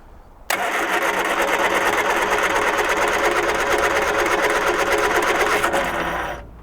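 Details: 1978 Triumph Spitfire 1500 petrol, sat unrun for years, float bowls full of sediment: steady fast starter churning for six seconds with no firing or catch; cranks but won't start.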